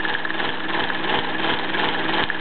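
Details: Bowman E158 steam engine on wooden base, original condition, driving a small workshop grinder: steady beat about three a second under a continuous gritty whir; engine and grinder running normally.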